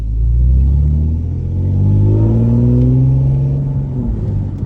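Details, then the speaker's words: Newly rebuilt Audi S5 driving with no check engine lights: smooth, deep engine note climbing steadily as revs build, no knocks or misses; healthy engine under acceleration. "This car sounds like a GTR, y'all. Like, I'm not even kidding. It sounds just like a GTR."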